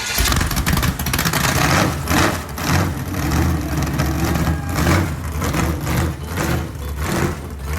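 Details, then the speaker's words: Chevy 350 small-block V8, pulled from a Camaro, on its first start after sitting for years, given gas and spark: a loud lumpy rumble with open-header bark settling to an even firing beat. Runs as healthy as remembered. "i'd say that worked pretty good and it sounds just as good as i remember what do you think"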